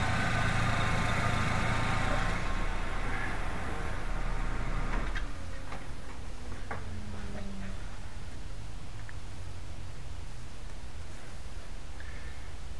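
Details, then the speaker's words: VW A3 idling after starting with the distributor hall sensor disconnected, check engine light on: smooth, even idle, then quiets to light ticking; starts and runs fine, so the hall sensor is not the cause of no-spark. "now we can start it vehicle starts fine even with the distributor disconnected"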